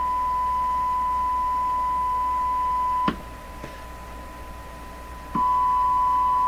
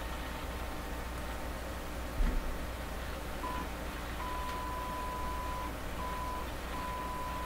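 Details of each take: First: Canadian Crosley 12B radio, audio checked with a signal tracer: clean, steady high tone drops out briefly and returns, with no hum; the second radio shows a hum and possible Morse code. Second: Canadian Crosley 12B radio, signal tracer probing the 6SA7 converter grid with signal generator input: only a faint, broken test tone over steady hum and hiss; weak signal at the converter grid.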